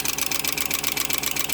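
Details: 2004 Ford F-350 5.4 Triton 2-valve V8 idling with the passenger valve cover off. A quick, even metallic ticking about eleven a second comes from a loose timing chain guide. Lifting the guide cuts the tick about 75%.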